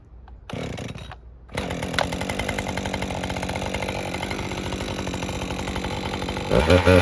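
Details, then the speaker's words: Husqvarna 550 XP Mark II chainsaw after bogging fix, at full temperature, fuel somewhat old with slight smoke: catches after a brief false start, then runs crisp and steady, holding speed; normal hot restart and cutting. "the last thing we need to do is just to make sure that this doesn't have a hot restart so obviously up to full temperature let's see if it at least fire"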